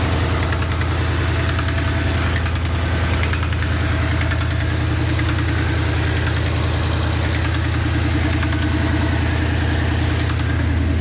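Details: Ford Coyote engine that failed on Power Tour 2024, started at idle before teardown: deep pulsing knock about 2.5 times a second, steady with the engine; owner unsure, guesses loose rocker arm, not necessarily piston; rod knock.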